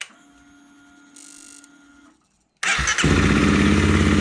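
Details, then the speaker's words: Honda CRF300 Rally, single-cylinder, after a cam chain, tensioner and follower replacement for an engine noise heard hot at low revs on the overrun, with new oil and coolant: it fires instantly and settles into an even, steady idle. Normal start. "It started on the button, which is great."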